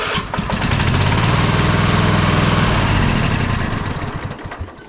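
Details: Troy-Bilt zero-turn mower twin-cylinder engine after replacing the bad ignition coil: catches and runs an even, steady beat with no misses before winding down; both cylinders now firing, low-power problem fixed.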